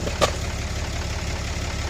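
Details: 2014 Ram Cummins diesel after aftermarket VVT turbo actuator replacement, warming up: low steady rumble with even beat and one brief tick near the start; smooth, healthy idle.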